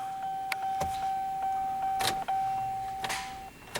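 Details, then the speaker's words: 2008 Chevy Silverado 5.3L with a previously replaced, computer-controlled starter, voltage monitored at the starter positive post: a few sharp single clicks over a faint steady whine and no cranking; starter engages but won't turn the engine. "could hear the starter go click and as you can see I have stopped it's obviously a computer-controlled starter because the test light stayed on for a longer period then I actually turned the key"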